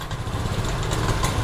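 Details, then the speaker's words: Honda Scoopy scooter hesitating on initial throttle despite normal electrics, 40.3 psi fuel pressure, cleaned and tested injector, new spark plug and air filter, ECU reset; stumbling, uneven low beat on blip instead of clean rise, ignition coil suspected next. "Nah itu coba gas khasnya Bro Nah itu dia seperti pincang ya Bro tuh liat"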